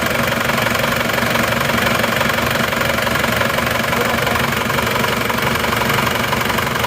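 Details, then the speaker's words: Reference Isuzu Panther diesel, older but freshly overhauled without piston replacement, idling on a morning start: even, steady clatter, smooth unchanging rhythm, quieter with even engine shake, no odd knocks; normal diesel idle for comparison. "suaranya malah jauh lebih halus ini ya lihat walaupun tahun tua suaranya malah lebih senyap dan goyangan mesinnya pun juga rata"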